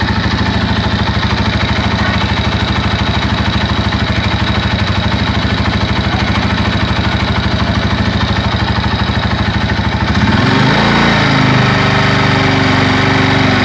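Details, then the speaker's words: Honda Tiger motorcycle, engine recently rebuilt: coarse clattery idle about three beats per second, harsher and rattly when revved, vibrating at full throttle; suspected piston slap or connecting rod. "oke lele dan si motor ini itu kalau digas kesel banget lebar bunyi para seperti suaranya loya Cu parahnya itu suaranya itu seperti piston leplex persis banget"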